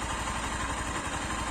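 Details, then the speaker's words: Zanella ZR 150 pushrod single fitted with a Honda XR 150 exhaust and a new downpipe to cut noise: quiet, even idle with a soft steady thump and light valve ticking; much quieter than the original exhaust, and the pushrod engine noise is now more audible. "Ahora en realidad empezamos a escuchar el ruido de estos motores varilleros, que se escucha más. Pero bueno, realmente quedó muy silenciosa."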